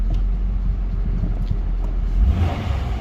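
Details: 2004 Nissan Maxima with security light on and crank-no-start, fixed by replacing a broken relay: engine catches and settles into an even, low rumble with no knocks or stumbles; starts and runs normally.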